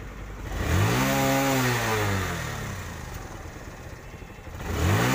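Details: TVS Star City 110cc motorcycle after repair of exhaust backfire and misfire: two clean throttle blips, pitch rising smoothly and falling back to idle with no pops or bangs; normal revving.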